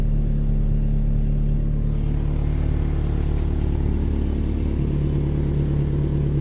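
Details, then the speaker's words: Toyota Tacoma with five-speed, described as a good running truck with a frame needing patches: deep, loud, rough engine drone with throaty low rumble rising with revs, louder than stock; owner says it needs oil, sounds like, and exhaust work. "This is a good running truck. That needs oil, it sounds like. Five-speed. Yeah, it needs some exhaust work."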